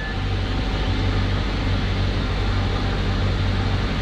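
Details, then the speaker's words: 2004-2009 Mazda 3, idle after replacing the belt tensioner: steady, even idle with a smooth low hum and no squeal, chirp or rattle. The noise that used to come on cold start is gone, though the owner will keep watching it for a few days. "i do not hear nothing happy right i did not hear nothing at all if i'm actually hearing that sound i know i'm not really hearing that sound anymore because it was very obvious and i'm not hearing that right now"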